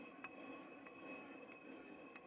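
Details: Chevrolet Celta rear wheel, drum turning slowly: faint scrape about every two-thirds of a second, from brake drum rubbing against loose parking-brake springs.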